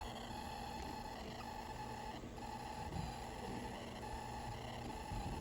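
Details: Old ThinkCentre server's internal PC speaker: steady whine with crackly warbling buzz from interference under high CPU and disk load; covering the speaker hole with a thumb makes it much quieter.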